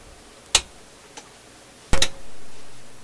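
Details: Philips tube console stereo receiver with tubes swapped between channels to isolate the fault; quiet hiss broken by a sharp pop, a faint tick and a loud decaying crack, the intermittent popping following the swapped tube into the other channel, so the tube is the cause.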